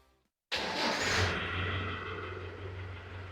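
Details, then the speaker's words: Land Rover Defender diesel, cold first start: cranks briefly, catches at once and settles into a steady, even low idle that quiets slightly; a little black smoke at first start is normal. Healthy cold start. "então aqui ó o barulho ele é constante e uniforme a gente não tem alterações no barul"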